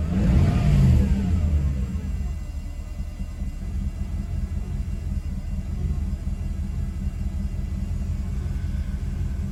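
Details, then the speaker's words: Mercedes W124 E420 M119 V8: brief rev, then low uneven rumble with unsteady idle beat, worse than before; ASR light on, owner blames moisture in throttle body needing rebuild. "that does not sound promising sounds worse to be honest"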